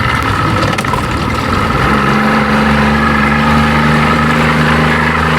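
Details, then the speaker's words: 1992 Johnson 60 hp two-stroke outboard after repair, idling on the water before a test run: steady, even burble with constant low drone, no misses or stumbles; likes one and a half turns with just the bump. Normal idle. "She sound good. She likes one and a half turns with just the bump"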